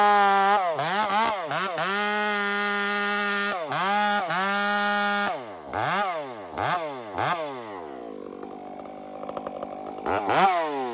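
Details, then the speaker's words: Stock chainsaw with aftermarket muffler fitted, cutting; screams up and sags hard as it bites, revs swooping unevenly with a fat, burbly edge; running rich. "I just want to rip a couple pieces off this this stock saw is running fat right now and I put that muffler on"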